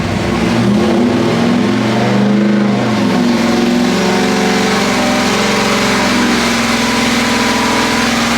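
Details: 406 small block Chevy on engine dyno, pump gas, Jegs aluminum heads ported by Eric Weingartner, stock cam, dual-plane intake, ATM carburetor; strong steady roar under load, clean, no misfire or stumble; pull felt a tad rich, jets leaned two numbers; normal.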